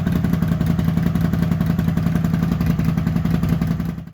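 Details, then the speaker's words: Honda GL400 Silverwing twin at idle before carb strip, previous owner reported a left-side problem: uneven chuffing with a lopsided missing beat, one side not firing; dead cylinder from blocked carburettor jets. "kind of wants to go kind of want it to go simply remember when this the guy said it had a problem on the left side which I've got to kind of look at"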